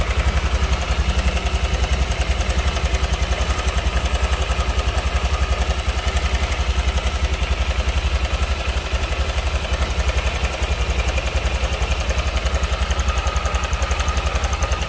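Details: Honda Vario scooter at steady idle with a light, even ticking rattle about four per second over a low thrum; worn cam chain tensioner (tonjokan keteng), to be replaced without engine teardown.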